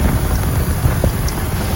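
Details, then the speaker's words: 2005 BMW X5 engine running with a low, steady growl from the A/C compressor and no knock or squeal; worn A/C compressor pulley bearings, to be replaced. "guys it's a cool song coming from the compressor bearings so we are going to start the engine now so you can hear it hear the poor song coming from the AC compressor bearings"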